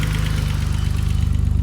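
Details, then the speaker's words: 1987/1988 BMW E28 535is, M30 engine, rockers already set to spec, aftermarket Magnaflow exhaust: steady idle with quick even tick and slight roughness, tick louder and idle rougher once warm; owner suspects injectors. "it sounds good but once it warms up it has a little bit of a rough idle and uh that tick gets a little bit louder so I'm suspecting injectors"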